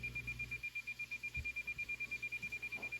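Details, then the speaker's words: President Washington CB/ham radio built-in SWR meter in SWR auto mode: rapid even high beeps, about seven a second, speeding up as antenna match improves. "So this is very handy for when you're trying to tune your antenna from outside the vehicle, turn the volume up all the way, whatever. And you're gonna listen for the tone to get, the beeps to get faster"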